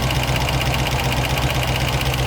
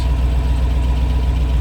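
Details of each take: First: 1972 Range Rover V8 idling at about 800 rpm: light quick ticking over the low rumble, tappets still tapping. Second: 1972 Range Rover A Suffix V8, warm with temperature mid-gauge and idle near 800 rpm after carb adjustment: deep, even burble heard muffled from inside the cabin with newly fitted Dynamat; normal idle, though tappets still tick outside.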